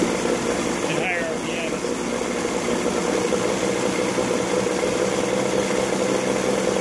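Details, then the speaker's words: Evinrude 40 HP outboard after weeks of work, test start out of the water: idle timing near 4 degrees, in gear just under 1000 rpm, engine note rises and falls slightly by about 50 rpm instead of holding steady; uneven running. "so we're just shy of a thousand rpm right now and you can see it fluctuating a little bit I mean 50 rpm looks like just a little are fuzzy"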